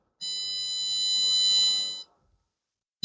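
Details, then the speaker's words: Multimeter's steady continuity beep across a capacitor on a Kenwood DC inverter AC PCB, showing it is shorted inside; this short caused the E5 error code. "मुसलसल आवाज आ रही beep की यह देखि मुसलसल beep की आवाज दे रहा है यह तो यह खराब है इसलिए शर्ट होने की वजह से इसमें एरर आया"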